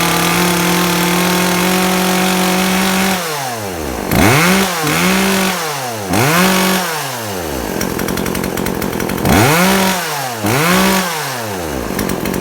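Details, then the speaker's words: Chainsaw after its over-rich carburettor mixture was corrected: crisp revs that climb and drop quickly, then pull steady while cutting with no bogging; normal chainsaw running. "กับคุณว่าโอเคต่อไปเป็นปกติอ่ะนะเนี่ยก็ประมาณนี้แหละ"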